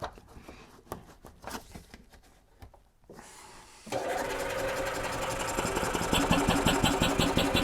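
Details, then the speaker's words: 2008 Yamaha Drive gas golf cart with strong fuel smell, after cleaning trash from the carburetor and refitting the PCV hose: a few seconds of clicking, then catches at once into a steady, even idle with no sputter; healthy, no fuel leaks. "I want to see if they'll start on its own no joke started right up that's how it's supposed to be"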